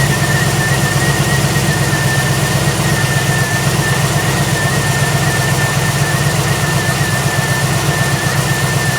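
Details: 2008 Pontiac G8 after replacing a broken cooling fan blade: steady, even idle with a faint constant high tone over the fan rush and no rattles or wobble; the repair is successful.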